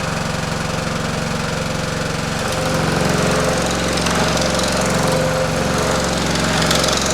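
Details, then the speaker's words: Pullmax-style machine running with plastic thumbnail shrinking dies. Steady rapid hammering of roughly four strokes per second, with a metallic rattle over the motor hum; it shakes at start, then runs smoothly. Normal operation. "So, I'll turn it on. My machine will shake and make some noise. And then once it gets running, it's pretty smooth. You will hear rattling, but just bear with me."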